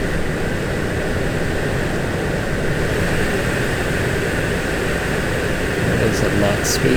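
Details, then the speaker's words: 2017 VW Golf Alltrack (MK7) new HVAC blower motor (part 5Q1819021E/H/B) on power at maximum speed: steady even rush of air, no ticking, rubbing or bearing whine; normal blower operation. "It sounds like it's making noise, but that's just the motor. That's fine. Alright, I guess it's the sound of airflow."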